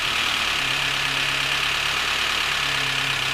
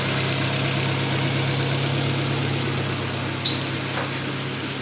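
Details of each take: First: Volvo S40 with Ford 1.6 petrol engine, hot, idles with fast hissy top-end clatter; compression 13 bar, diagnostics showed nothing; pan removal found clean oil pickup but spun crankshaft/conrod bearings, no oil pressure to top end. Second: Volvo S40 with a Ford 1.6 petrol engine, after a valve-tapping complaint was repaired: a steady, even idle hum with no valve tapping, then the sound fades out.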